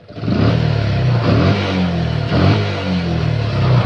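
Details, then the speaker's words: Yamaha Jupiter MX carburetted motorcycle, sharp throttle from idle: engine flares then coughs and stumbles with a delay before pulling; hesitation on snap throttle, mechanic suspects late ignition from the CDI if the carburettor is already set correctly. "kita gaspol seperti ini Bro ya dia ndak langsung akselerasi kesedot batuk ya Ada ada jedanya itu biasanya selain karbu jika karbu sudah di-setting sedemikian rupa Ada kemungkinan di bagian CD masalahnya terlambat pengapian"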